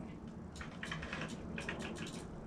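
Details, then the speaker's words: Honda Metropolitan scooter push-button start, kill switch in run, brake pulled: faint sluggish starter groan broken by rapid relay clicking as the relay drops out; engine barely turns over because the battery is basically dead. "and then you can kind of hear the relay giving up like clicking off because if there's not enough juice from the battery the relay shuts it all down when the engine barely turns over like that you know that the battery is basically dead"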